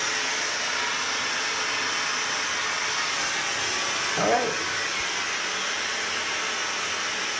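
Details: Kohler K9 steam generator that had thrown error 5, tested cold after repair. A steady, even hiss of steam with no sputtering or pump knocking. The water is boiling, no leaks are seen, and it is steaming normally.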